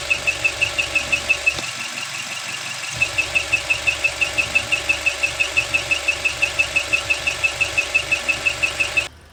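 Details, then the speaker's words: Dual VVT-i engine rebuilt after thick white exhaust smoke, squeaking after reassembly: sharp high chirp about three times a second in step with idle, like a pinched mouse, unlike injector ticking; scratched camshaft squeak. "dari video yang kita share itu pertama yang jelas adalah suara ee cit cit cit cit cit cit kayak tikus kejepit di dalam mesin. Ee yang tikus kejepit itu harusnya tidak ada, Teman-teman."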